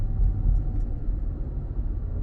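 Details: Ford Taurus X wagon driving after front arms replaced; steady low road rumble with no clunks or thuds over potholes or bumps, previous front-end clunk gone and mild 65 mph vibration removed.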